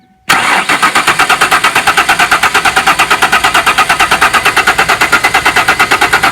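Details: 1994 Ford Ranger revived after sitting, in neutral with new fuel line to the filter and the fuel pump running: steady, even starter cranking at about five compression beats a second, engine turns freely but never fires.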